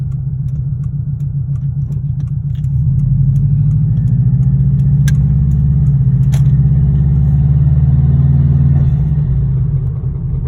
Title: 02 wrx rod knock